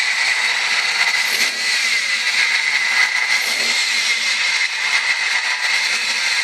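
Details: 1998 Ford ZX2 with a constant thin whistle around two kilohertz over a dull engine hum; high-pitched whine, source still being diagnosed.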